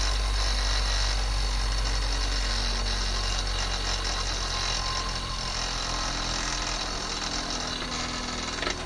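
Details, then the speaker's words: Split-phase induction motor with centrifugal start switch, hum fading smoothly on coast-down, then one crisp click as the start winding switches back in; normal motor coast-down with centrifugal switch click. "It's a split phase motor. Has a centrifugal winding in it. It'll start and run, and you'll hear it click off. There's a click. As soon as it goes slow enough, the winding will click to start winding in."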